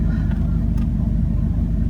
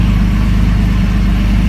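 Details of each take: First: 2003 Jeep Liberty after replacing the camshaft and crankshaft position sensors, check engine light off: engine idles with a steady, low, even rumble, no misses or stumbles; runs better, idle nice, revving previously made it die. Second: 2003 Jeep Liberty just started after cam and crank position sensor work, check engine light now off; low, uneven, lumpy idle with fuel smell: rough idle.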